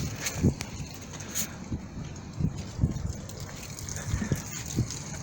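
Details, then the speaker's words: 2011 Jeep Cherokee/Liberty KK, after repairing creaking rear stabilizer bushings: pushing down on the rear gives only soft dull thuds with no creak or squeak. Quiet stabilizer bushings. "скрипа нет ребят вот я и давлю скрипа ни чего и вам желаю всем добра и удачи"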